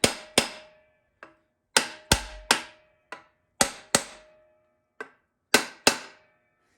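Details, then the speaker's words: TH350 transmission rebuild, pump tapped into the case with a hammer and brass drift around the O-ring: irregular taps with a hollow ringing thunk; pump not yet fully seated until the tone turns flat and solid. "you'll know it's fully seated when the tone changes, so it won't feel like as much of a hollow thunk as a very flat, very flat, solid sound."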